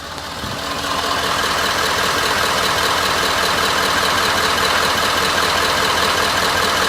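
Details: Ford 6.7L diesel, warm Florida weather, restarted with a low oil pressure warning: sharp, even clatter at about four beats a second over the engine hum at idle. Low oil pressure at idle is suspected but not confirmed.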